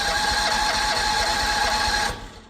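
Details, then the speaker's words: Predator 670 engine just after a full carburetor clean and reinstall, fuel on, throttle wide open: buzzy starter whir for about two seconds with no firing while the vacuum pump fills the empty fuel bowl; cranking without starting. "So what I do is I usually crank it a couple times. I've got the the throttle to wide open."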